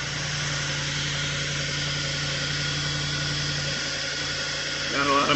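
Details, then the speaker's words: Audi B8 S5 on first start after carbon cleaning: steady low idle with uneven stumbling. The misfires are expected until the empty fuel rails fill. Misfire from empty fuel rails on first start. "lot of misfires. That's normal. The fuel rails are empty."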